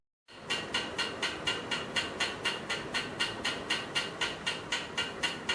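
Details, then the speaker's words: Running ceiling fan with an even, sharp tick-tick click about four times a second, once per rotation; cause suspected to be a worn, loose bearing (often the upper one) or a worn shaft. "there are mainly two reasons behind this sound, first if the bearing is wear off or 2nd if the shaft wear off"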